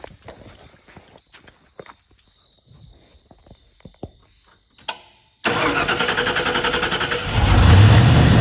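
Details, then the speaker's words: 1991/92 Ford F150 that had sat neglected, no-start, with starter fluid sprayed into one throttle-body barrel: quiet, then rhythmic cranking at about four beats a second and a rough, brief catch. Spark is good; fuel issue, with no pressure at the fuel-rail test port from the electric pump. "All right, so yeah, I have spark. It's a fuel issue. That's what I figured."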